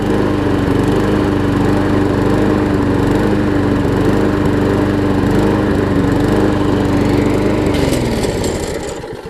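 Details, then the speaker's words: Southland push mower with 6 hp engine, cleaned up, beauty cover off; takes a second to steady out, then a quiet, steady, even single-cylinder drone before winding down at shutdown. Normal running. "It takes a second for it to steady out. It's a nice quiet runner too."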